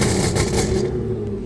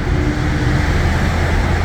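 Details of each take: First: Audi A6 3.0T with test pipes, downpipes and a Motorsport crackle tune, heard from inside the car before fitting the Gibson muffler. Sharp gunshot-like pops crackle through the exhaust as the revs drop, alongside the loud rasp. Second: Audi A6 3.0T with test pipes and a new Gibson 55106S anti-rasp muffler, driving through a short tunnel: deep smooth note rising in pitch, no rasp; owner notes idle getting quieter, maybe valves adjusting.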